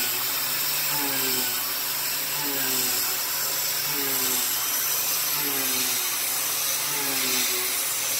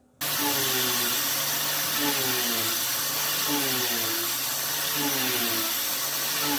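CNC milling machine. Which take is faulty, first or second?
second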